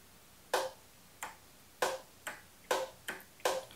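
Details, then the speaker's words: Bobcat zero-turn mower with no-start condition, parking brake set: sharp metallic solenoid clicks about two a second when the key is turned, but the starter does not engage or crank. "you can hear a solenoid clicking but there's no starter engaging"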